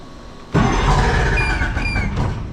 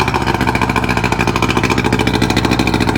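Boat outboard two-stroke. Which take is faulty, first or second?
first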